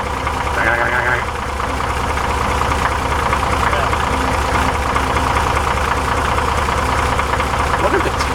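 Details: 1961 Corvair Lakewood wagon, air-cooled flat-six, rebuilt rings/valves, at hot idle turned down: loose uneven metallic rattle over fan roar, gone with slight throttle; low hot oil pressure. Suspected loose cam or crank timing gear, unconfirmed.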